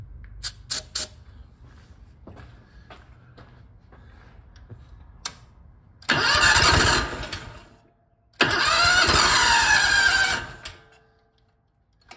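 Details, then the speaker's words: 1980 Rounder L600 with a newly installed Predator 670 engine, first start before fuel reaches it. A few clicks, then two cranking bursts of about two and four seconds, each briefly catching on starting fluid before dying. "i'm gonna give it a little bit of uh go juice here because this thing is gonna have to run for quite a while to get the fuel to the engine"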